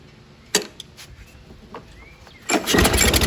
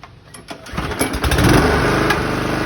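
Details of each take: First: 2011 Toro Personal Pace 20333 mower, B&S 190cc with blade clutch, after sitting a while: pulls, catches and runs rough about five seconds, then fades and dies. Owner suspects governor adjustment; cause not confirmed. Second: 2011 Toro Personal Pace 20333 mower, B&S 190cc, after carb clean and rebuild, new spark plug and coil re-gap, which cured its stalling: fires, catches and settles into a steady, even beat with no misses or surging.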